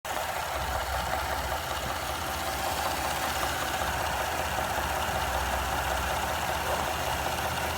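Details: Knock at idle on a 2017 3.5 EcoBoost engine: a light, uneven knock about two or three per second over the steady engine hum, suggesting an internal knock.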